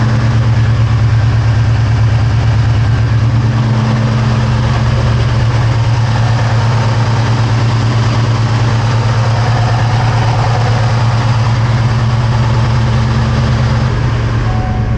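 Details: 2003 Ford SVT Cobra V8, first start after valve guide and seal repair with engine removal and partial teardown; cold, rainy, humid day. Deep, steady burble at constant idle with no ticking, knocking or misfire; condensation from the exhaust, stuff burning off the headers; healthy idle.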